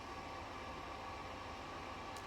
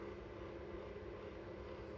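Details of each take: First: New Airflow Icon 60 kitchen extractor fan after replacing the old noisy Manrose: steady, even rush of air with faint constant hum, no rattle or scrape; quiet with much more suction. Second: Old Manrose kitchen extractor fan, heard from inside before replacement with an Airflow Icon 60: steady, even, quite noisy roar with low rumble, no rhythm or squeal; weak airflow, barely moves tissue.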